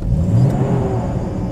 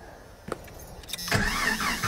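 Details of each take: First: 1990 Jeep Comanche that previously started then died: on a test drive at full throttle, strong deep engine pull with no stumble or cutting out; running well. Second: 1990 Jeep Comanche: cranks, catches, runs a few seconds on a ragged idle, then dies; fuel pressure gauge at Schrader valve shows only about 10 PSI, fuel delivery fault.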